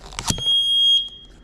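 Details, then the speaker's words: Newly installed carbon monoxide detector after furnace repair, demonstrated: a couple of clicks then one shrill high-pitched beep about half a second; carbon monoxide alarm sounding, meaning get out and call the fire department. "If y'all hear that, consider it like a smoke alarm. Call the fire department."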